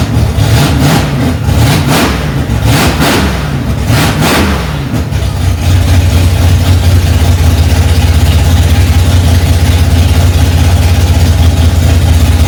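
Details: 1965 Ford Mustang, freshly rebuilt 289 small-block V8 on its cold first start, mixture screws two turns out: some uneven surging at first, then a strong, steady fast idle with no knocks or ticks; normal.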